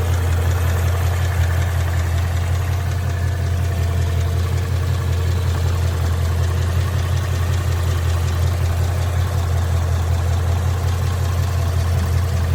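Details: 2011 Mustang GT, 99k miles, at idle: deep steady rumble with a fairly regular light knock about two to three per second; owner suspects possible rod knock, unconfirmed.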